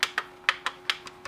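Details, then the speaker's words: M&S Systems Model N350 1980s music intercom master station, after its failed bubble switches were replaced with new tactile switches. Buttons are pressed, giving crisp sharp clicks, some in quick pairs. Every switch snaps cleanly and works properly. "they all work they'll go click click click when you push them which is exactly what you want"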